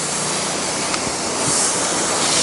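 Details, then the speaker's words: Pressure washer downstreaming 10% sodium hypochlorite for a painted wood deck: steady airy hiss over the running washer as the chemical injector sucks air because the one-gallon bucket is empty. "hear that noise hear that hissing that means my buckets empty I'm no longer really pulling anything"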